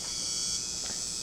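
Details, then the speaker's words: 2006 Polaroid 37-inch LCD TV: piercing steady high screech on power-up, gone in standby; switch-mode power supply failing from bad Capxon capacitors. "so what is causing the noise well quite simply the smps inside the tv is going out that's a switch mode power supply and all likelihood what has happened is we've had some capacitors fail within that power supply"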